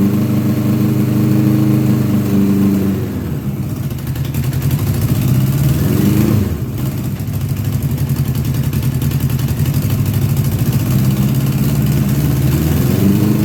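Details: 1982 Honda GL1100 Goldwing Aspencade, sat three years, just started on fresh gas; uneven lumpy idle that wanders and surges with a couple of carbs firing hit or miss, expected to clean up with running.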